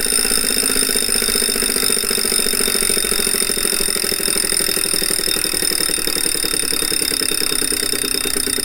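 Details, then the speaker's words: Refurbished replacement 2018 Wahoo Kickr trainer flywheel spun up with the mic beside it: a loud, steady whirring roar with a high ringing whine over a fast, even pulse. It's too loud but doesn't shake the bike, so it's probably not unbalanced; same noise the old unit had before vibrating. "that's actually not how it's supposed to sound it isn't supposed to make much noise this one doesn't make the bike resonate though so I'm actually not sure what to do about that it's not supposed to sound like that but it doesn't shake the bike so it's probably not unbalanced it's just loud"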